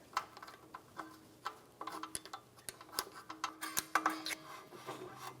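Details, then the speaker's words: 2010-2023 Toyota 4Runner rear brake job: parking brake shoes adjusted through the access window, rotor turned by hand. Faint, intermittent scraping is the desired light shoe drag. "hear that scraping sound that's what I'm looking for not too much see went over overboard you can't turn that back it off couple of turns that's perfect that's what I'm looking for"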